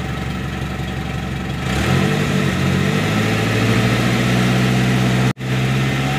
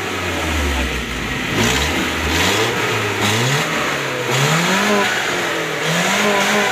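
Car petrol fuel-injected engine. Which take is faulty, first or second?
first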